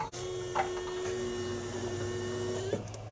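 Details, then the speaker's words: 2005 Peugeot 206 with a 2003 Impreza WRX engine and an in-tank pump, 22 liters of fuel: a steady electric hum as the empty swirl pot fills and primes; normal fuel pump operation. "so with the fuel pump plugged in let's see if it fires up you can hear the swirl pot filling up probably completely empty so it's just priming through"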